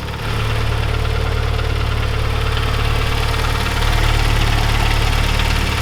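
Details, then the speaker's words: Mitsubishi Evo 9 with an old ticking noise at idle: steady idle with a fast even tick about three per second; a mechanic blamed the timing belt tensioner, but hydraulic lifters already replaced are still suspected, cause unclear. "Yeah, it's definitely not that lift or the tensioner. To me, it sounds like, so these are hydraulic lifters for the valves."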